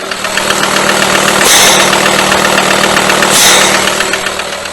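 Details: VW Transporter/Multivan AXD diesel, 210,000 km indicated (likely more), under-hood idle: steady regular fast knock about four per second with heavy crankcase blow-by; suspected internal wear, engine to be removed and disassembled, possible resleeving.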